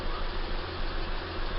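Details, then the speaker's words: 2004 Acura MDX V6 with misfire codes P0300–P0306, after the suspect coil was swapped from cylinder 3 to cylinder 6: an idle with a slightly uneven beat and occasional stumble, and the misfire count now rising on cylinder 6. Misfire from a bad ignition coil. "three now has zero misfires and number six is counting up pretty fast one hundred thirty five hundred thirty six so we move that coil from here to here"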